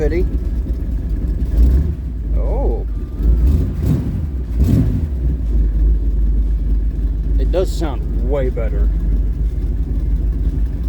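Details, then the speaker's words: Old Ford truck "Bonnie" V8 just after new spark plugs, cold start with a little choke, idling about 750 rpm: steady even idle with no misses or stumbles, way smoother; normal idle. "It's idling way smoother. I bet it makes a lot more power now, too."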